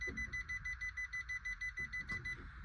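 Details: 2016 Suzuki Wagon R AMT, 54,000 km, with an AMT control malfunction: shrill even beeping about five times a second while the car refuses to start, a gear-selector warning buzzer; it starts once the system shifts itself to neutral.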